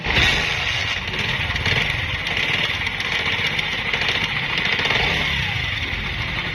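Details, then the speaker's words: Honda CD 70 motorcycle single-cylinder running fast: busy metallic clatter over the exhaust persisting after timing chain replacement and adjustment; rattle traced to a broken camshaft bearing. "दोस्तों ये आवाज़ आपने सुनी customer का यह कहना है की इस बाइक की मैंने टाइमिंग चैन भी रिप्लेस की एडजेस्टमेंट भी करवाई है और भी बहुत सारा कम करवाया है लेकिन उसके बावजूद इंजन की आवाज़ ठीक नहीं हो रही"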